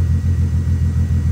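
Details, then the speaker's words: 1983 VW Rabbit GTI MK1 with VR6 swap and catalytic converter, new Walbro 255 inline fuel pump, at idle: smooth even rumble with only a faint pump hum, no whine; pump quiet, no fuel leaks. "no fuel leaks whatsoever and you can hear the pump it quiet you barely hear it like you got to listen for"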